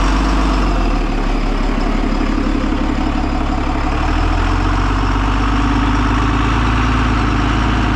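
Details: Cummins-powered 2002 Snap-on step van revived after sitting about ten years: a deep, steady diesel rumble at an even idle with no knocks or misses, sounding healthy.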